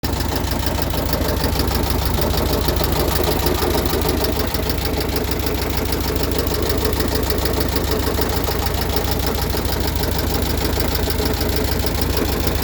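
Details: Completely rebuilt VW Type 1 36HP with under 100 miles, valves adjusted correctly, fan belt disconnected and noise persists: light regular knock about three per second at idle; owner suspects rod knock or a loose oil cooler rattling in the fan shroud.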